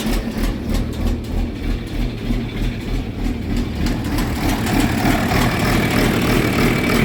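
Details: John Deere 4430 diesel tractor started right after replacing a leaky fuel filter, with possible air lock in the fuel: steady, even idle with a low regular chug of about three beats a second, no misses; normal idle.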